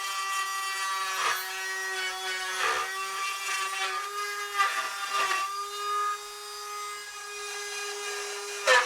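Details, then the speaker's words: Rotary tool cutting a sound port in a steel-string acoustic guitar side: steady high whine with rough buzzing chatter as it bites wood, because too much bit shaft is extended; fix is retracting it. "my bit is down a little too far. You can hear it chattering quite a bit. The less of that shaft that we have sticking out, the better."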